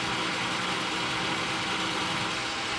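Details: 13-inch South Bend lathe turning a threaded arbor down to 7/16 inch, after a chipped insert that had sounded horrible was rotated to a fresh corner: a smooth, steady cutting hiss with a faint even tone and no chatter. It now cuts cleanly.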